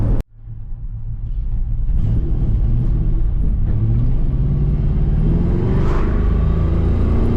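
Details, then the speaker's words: Ford V8 with GT40P heads, probably an alphabet cam, GT40 tubular intake, long tubes, stock throttle body, after fixing vibration and power loss plus a vacuum leak, timing and TPS adjustments; deep choppy loping idle revving cleanly, healthy. "Now the car actually lopes, so it's pretty interesting and pretty telling."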